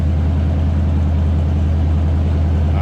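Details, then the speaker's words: 1976 Chevrolet Monte Carlo 350 V8: deep, even burble at idle through a loud exhaust, smooth with no knocks or misses; healthy idle. "Door closes nicely for a big firm door. There you hear that rumble coming out of the 350 underneath the"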